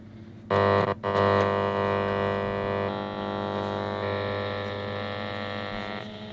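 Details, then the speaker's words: 1950s Ferranti A1016 valve radio with long, medium and VHF bands and a sticky band button: steady buzzy hum with no station received on long wave; band switching fault suspected, not confirmed. "and pretty much nothing on the long life bad so to me that looks like a switching issue"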